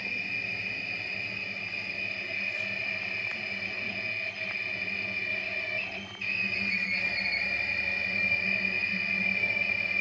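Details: Midea 10.5 kg washer dryer, two months old: steady high-pitched squeal throughout drying, present even when the drum is not rotating, so apparently not from drum rotation.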